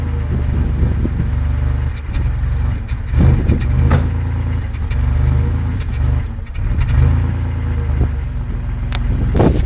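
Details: 1994 Isuzu Trooper revving: uneven stumbles and irregular pops in the exhaust note; engine misfiring under throttle.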